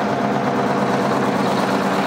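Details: International Harvester TD20E bulldozer with a 13.0 L DVT800 V8 diesel, first start after being saved from scrap: a deep, heavy rumble holding a steady low idle without knocks or stumbles, with good oil pressure. Normal idle.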